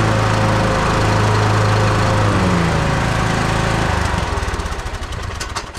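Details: Husqvarna YTH21K42 riding mower after replacing the too-long 101.4-inch deck belt with a 100-inch belt: steady, even drone with blades engaged, no belt slap or squeal, then a smooth wind-down; the belt stays on and it runs normally.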